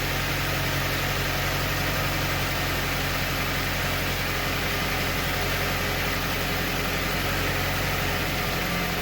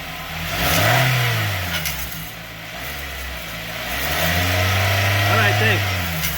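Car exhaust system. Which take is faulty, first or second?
second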